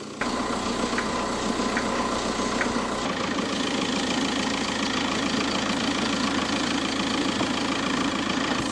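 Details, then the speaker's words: Car idling after the coolant was drained and refilled: a light, bell-like metallic jingle over the engine note from the accessory belt area. Owner says the belt tensioner is making the noise and may also explain the hard starting; a new tensioner is planned. "apreciáis el sonido suena el tensor escucháis suena el tensor va a ser el tensor el tema del sonido y el que salga tan mal que suene tan feo"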